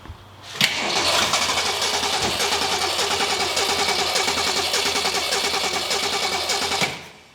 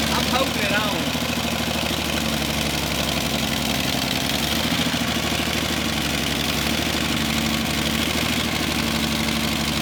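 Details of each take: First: 1966 Ford Mustang straight six with mechanical fuel pump, first start attempt, not in gear: steady quick cranking about three and a half turns a second for six seconds, never fires; carburetor later found bad and replaced. Crank no start, fuel starvation. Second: 1966 Ford Mustang barn find after swapping the bad carburetor for a good used one, adjusting idle, choke and fuel mixture: steady, even, smooth low idle with no stumbling. Normal idle.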